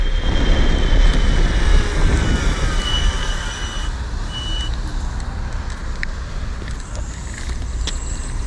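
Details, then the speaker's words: InMotion Climber dual 750 W hub-motor electric kick scooter, riding in sport mode: a thin high whistle rises with acceleration over road rumble, then fades as speed steadies; normal hub motor whine. "Oh, the acceleration is so nice. There's that whistling."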